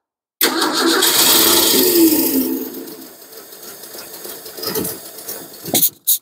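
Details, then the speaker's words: 1953 Ford 4x4 on high-rise manifold, choke held open, no fuel supply: starter cranks, engine catches on sprayed Gumout carburetor cleaner and roars about two seconds, then dies. "all right the gasoline is gone the fuel source is gone"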